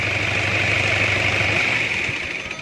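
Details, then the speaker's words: Toyota Hilux 2KD diesel with code P0488 and power loss traced to throttle body wiring: after the repair, the idle dies away evenly when the key is turned off. The throttle body now closes before shutdown, giving a smooth stop unlike before. "Oh cara matinya itu smooth saat Oke kayak matikan kunci"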